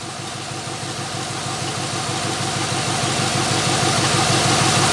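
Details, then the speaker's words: 1993 Chevrolet C1500, long-stored truck mid tune-up with new plugs, started to add antifreeze and check for leaks: loud, raspy, even idle with no skips or stumbles, no leaks seen; normal idle. "so far so good no miss i don't see any leaks"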